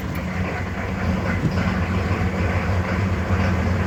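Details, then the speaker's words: Diesel truck sitting a month on low uncharged batteries, two-year-old parts-store replacement starter, after glow plugs: heavy sluggish uneven cranking about three compression beats a second; slow cranking from worn starter and low batteries. "quite a bit for how long is it it's sitting considering it really wasn't too bad and unfortunately i am going to have to charge the batteries"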